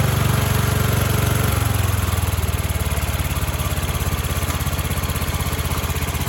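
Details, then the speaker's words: 1976 Sears ST12 garden tractor single-cylinder engine after new PCV valve, breather and hose, carb cleaning, flattened flange and new gaskets: drops from fast run to an even clean-firing idle; runs well now. "Runs really good now. I'm happy. I'm gonna drop the idle down a little bit. Just runs so good."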